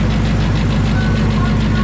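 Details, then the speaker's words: 900 hp Coyote-swapped, Whipple-supercharged Fox body notchback: steady, even, deep idle with no ticking, knocking or bellhousing rattle; earlier noise gone after retorquing and Loctiting the torque converter bolts. "Yeah, we just retorqued and Loctited the converter bolts, and now the sound's gone."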